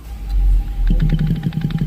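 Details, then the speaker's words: Nissan Teana 2.5 AC compressor knocks only with AC on: quiet with AC off, rhythmic knocking drone once engaged; internal wear, likely no oil added when compressor was replaced; still compresses and cools, aluminium shavings from scored cylinder found. "喏，这是发这个压缩机内部有异响。开空调，看打着不响啊，空调一开就有异响。关掉。这个异响是内部磨损，应该是更换压缩机的时候没有加油啊。"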